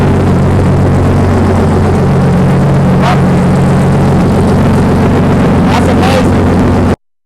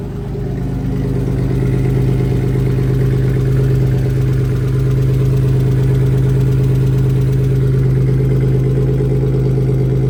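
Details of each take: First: BMW 318i engine swap, first start after swapping fuel lines, no exhaust fitted: steady, very loud raw drone with deep unmuffled rumble. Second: BMW E36 318i after M50 engine swap (originally four-cylinder), exhaust and hangers unfinished: starts right up and settles into a smooth, even low drone with a steady beat, no knocking or ticking; normal healthy idle.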